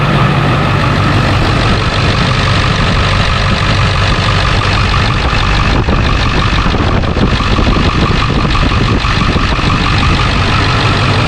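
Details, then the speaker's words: Diesel clatter at idle with an even beat and no belt chirp or squeal on a 2001 Ford F-350 Super Duty 7.3 PowerStroke after serpentine belt and blower motor resistor replacement; normal running. "so now we can fire it up and uh see if it chirps"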